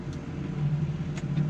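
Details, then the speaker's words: New Holland T7 210 tractor with Welger RP245 Profi baler, front linkage (green) spool operated: steady low rumble with engine note firming as spool takes load; normal hydraulic spool operation under load. "let me operate uh do the green one yeah the green ones front linkage you can hear that going"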